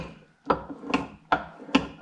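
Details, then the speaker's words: KTM 250 EXC enduro engine torn down: sharp metallic clacks at each change of direction as part is turned by hand, the metallic noise heard all along; worn, loose bearing cage as diagnosed. "C'est que il doit y avoir une cage avec en roulement parce que regarde, écoute c'est ça le bruit métallique qu'on entend depuis le début."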